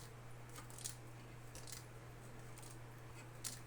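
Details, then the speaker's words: Brand-new factory loudspeaker with a defect, shaken by hand: faint scattered clicks and light rattles from a loose unknown object trapped inside the dust cap, removed by taking the cap off. "Aí no balançar ele parece que tem um algo aqui dentro da tampa, tá?"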